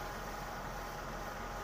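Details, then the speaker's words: Suzuki Katana, cold engine not yet driven, thermostat comparison; carburettor setting stable despite cold; quiet steady idle, even low hum, no hunting or stumbling; normal cold idle. "untuk settingan karbonnya ini sudah stabil loh, walaupun mobil ini keadaan dingin loh."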